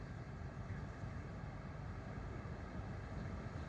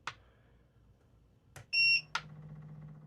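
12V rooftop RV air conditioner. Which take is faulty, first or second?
second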